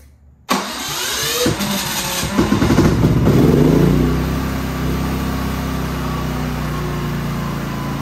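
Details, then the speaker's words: Genmax GM9000iED inverter generator after ignition module replacement, which sometimes must be tapped on the floor to start: a crank and catch, then the engine surges and wavers for a few seconds before settling to a steady hum; a reluctant, uneven start, cause unconfirmed. "now it's working but that doesn't mean that it's gonna work every time because this happened before and I have to tap it on the floor so let's try one more time"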